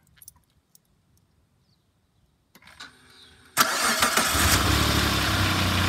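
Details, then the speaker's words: Car started after a temporary alternator repair, battery at about 12.4-12.5 V: brief crank, then a slightly lumpy, uneven idle with rattles; car is known to have many rattles, cause unclear. Rough idle. "that is that doesn't sound good anyway I'm gonna let it run for a bit and let it charge"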